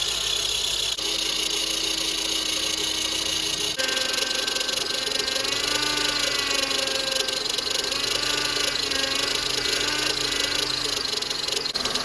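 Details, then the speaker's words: Honda Element after power steering system rebuild, engine running while steering is turned: wavering whine that starts to quiet down; pump accidentally ran dry because the fluid was sucked down so quickly. "It's starting to quiet down a little bit. What I did was I accidentally ran it dry because it sucked all that fluid out of there so quick."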